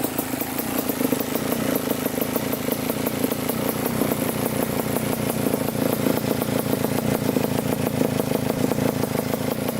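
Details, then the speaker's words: 1987 Kawasaki Tecate 4 250cc two-stroke quad after the fully closed air-fuel mixture screw was corrected: a steady, even idle with crisp regular firing and no misses or surging, a normal idle. "Alright guys, we got her idling. The air fuel mixture screw was screwed all the way in, so that's why it wasn't running right."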